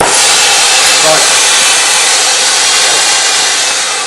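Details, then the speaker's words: Oxy-acetylene torch tip run with flow too low for brazing; loud, even hiss without the usual roar, fading slowly. Running it like this overheats and burns the tip: torch flow rate too low. "I run that torch tip like that, if I run it very long, it's going to overheat that torch tip and burn it."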